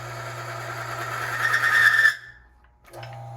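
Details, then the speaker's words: Oil test rig: a spinning mandrel and bearing lubricated with Valvoline Race oil, warmed so the zinc is active, loaded up to 4 pounds of weights. A steady whine climbs louder under load, then cuts off abruptly as the bearing seizes. "it's seized with just 4 pounds of weights. So now let's take a look. We'll take a look at the bearing."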